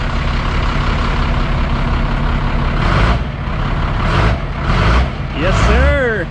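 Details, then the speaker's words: 1991 Freightliner FL70 tow truck, believed 5.9 12-valve Cummins diesel, sat about 15-20 years, started without starting fluid: steady idle then clean smooth revs, no smoke; engine healthy and running evenly. "well that was that was easy yes sir no smoke or nothing hit the hit the gas a little"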